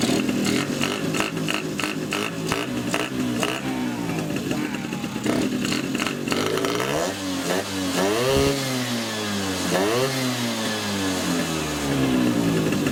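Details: Two-stroke with Polini 177 cylinder, Malossi X360 reed manifold with original Malossi reeds, PHBH 30 carb and Megadella V5 exhaust, run without air filter at first start: rasping blips and revs with a very loud, raw intake bark on each throttle opening.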